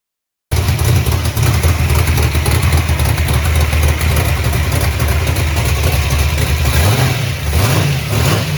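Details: Chevy Nova V8 just after both carburetors were rebuilt (one found full of trash) and refitted; fires straight up into a deep, steady idle with clean revs, no misses or hesitation, running healthy again.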